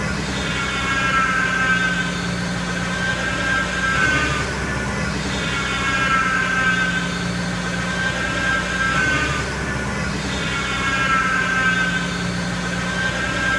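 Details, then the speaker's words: Mercedes-Benz R-Class (W251) idling after start: a steady high howl that swells and fades over a smooth idle, the power steering pump whining on low fluid; the engine cover comes off next to check the power steering reservoir. "mendengarkan bunyi yang mengaung pada saat kita menghidupkan mesin hal itu menandakan bahwasanya Hai adanya permasalahan pada power steering"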